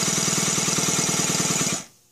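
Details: Stuart Sirius model steam engine, newly assembled, running unloaded at high speed: rapid even chuffing with a high hissing exhaust whistle, then a clean stop; runs well without load.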